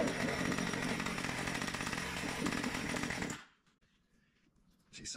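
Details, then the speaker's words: Old Weed-Eater two-stroke trimmer, long unused, running after repair attempt with fresh fuel: rough buzzy running for three seconds then dies; probably an air leak at a broken carburetor, needs carburetor replacement. "yeah it looks like that is broken and that's probably where it's sucking from"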